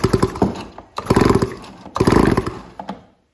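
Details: Stihl 026 chainsaw, about 25 years old, after a scored piston and cylinder were replaced with a piston and cylinder with a decompression valve: three hard rope pulls, each giving strong, evenly spaced compression puffs; healthy compression.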